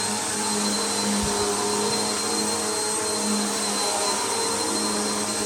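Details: Bissell PowerLifter bypass-motor vacuum after a full service, tested on carpet at middle height setting: steady even motor roar at constant pitch, no rattles or surging; sounds healthy.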